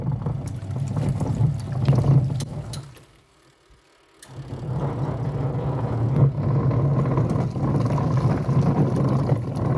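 Deep, throbbing low rumble, about four pulses a second, pausing briefly as the agitator reverses; a rough wash-cycle rumble of unknown cause.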